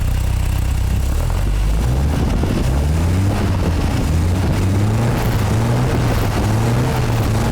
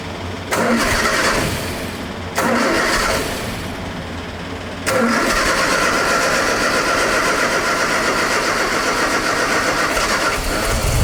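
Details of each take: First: MGA 1600 roadster idling on a newly fitted cheap exhaust: low, steady, smooth burble with an even beat, no knocks or bad noises, only a slight exhaust rattle; timing slightly retarded and needs advancing. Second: MGA 1600 roadster cold start on a manual choke held by hand, with the new cheap exhaust: the engine catches, fades and dies twice before holding a rough idle because the choke was released too fast; it needs to warm up.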